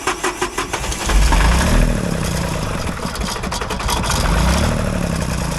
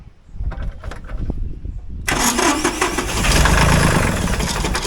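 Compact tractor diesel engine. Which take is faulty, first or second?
first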